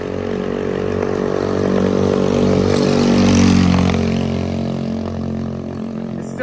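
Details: 110cc three-wheeler engine after new stainless exhaust and fuel line changed to single line, clogged carb cleaned: small buzzes with a hum swelling and sagging unevenly; runs rough, suspected small flap-type carburetor restricting flow.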